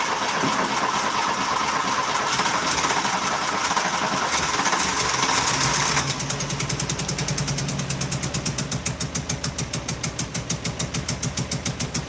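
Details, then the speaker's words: Engine with weak spark cranks long, then catches into a lumpy, uneven idle pulsing about three beats a second; owner suspects a massive air leak, not confirmed. Rough running after start. "It sounds like it's got a massive air leak somewhere to be fair as well. Massive air leak."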